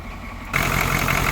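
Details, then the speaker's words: 1980 Cadillac Eldorado Biarritz, factory 350 (5.7L) V8 diesel, already warmed up, glow plugs bypassable by button, batteries a little low after sitting: quiet half second, then it starts and settles into the steady, even clatter typical of old 80s diesels. "Let's start it up and listen to the fabulous clatter of these old 80s diesels."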